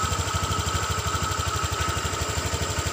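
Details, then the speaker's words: Honda Vario 150 eSP scooter: rattle silent at low rpm, krotok-tok at high rpm. Light plastic chatter on the engine pulse. Touching the rear cover stops it; identified as the loose radiator filler cover. Body panel rattle. "ketika dalam RPM rendah suara tidak terdengar, tapi ketika RPM tinggi ada suara krotok-tok seperti itu."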